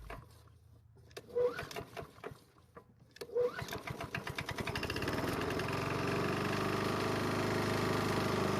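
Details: Small two-stroke at spring start-up, failed to start until the carburetor was manually primed: a couple of pull-starts cough and catch, then a steady, even buzz that keeps running; carb likely cleared itself.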